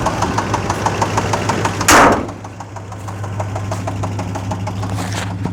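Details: Chevrolet Suburban 5.7L V8 at idle, started after sitting a few months (fluids checked, fresh gas): quick, steady ticking over the low rumble began seconds after a normal start. Cause unknown.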